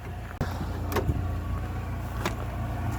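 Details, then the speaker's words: Rover 45 1.8 K-Series CVT on a jack after its service; earlier noise gone, still slight sound when revved, some over-revving remains: low, soft, steady idle with no knock or whine, only handling clicks; quiet and healthy. "Where's the noise gone? There's no noise. Unbelievable."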